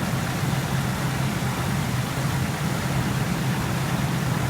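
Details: 2003 Ford F-150 idling after a no-start: steady, even low rumble with no misses, knocks or squeals; the alternator reads 14 V charging the weak battery, so idle and charging are normal.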